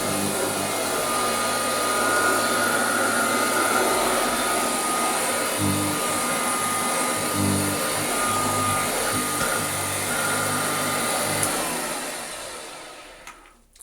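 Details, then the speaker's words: Restored Hoover Junior 119 upright vacuum cleaner with new brush roll bearings and a new belt, otherwise original factory parts: steady high motor whine with airflow rush and a faint brush thump, running normally. "So all this has had is new brush rod bearings and a new belt. Everything else is as it left the factory whenever that was."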